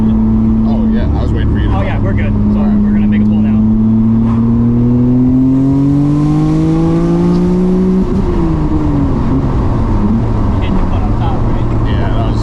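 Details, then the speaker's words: Freshly rebuilt Nissan R32 Skyline GTR, after blowing its motor, on a third-gear pull during remote tuning: clean, steady rising pull with the tone climbing smoothly, no misses or knocks; driver says it feels great; healthy engine under load. "That feels great. Yeah, that's sick. That's so sick. That feels fantastic."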